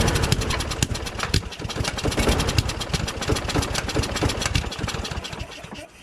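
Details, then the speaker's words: John Deere JS26 self-propelled mower out of storage, after gelled gas was cleaned from the carburetor bowl: it starts but pops and stumbles unevenly, then fades. Rough running; owner suspects water in the fuel. "so it seems like there's some water that was still in there that's what it sounds like sounds like it seems like there's water in there"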